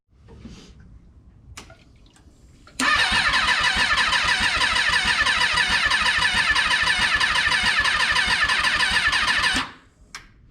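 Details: Rebuilt Kawasaki 636 engine freshly installed: about seven seconds of fast even starter whirring that never fires; cranks but won't start, crew thinks it needs throttle as it sputters slightly.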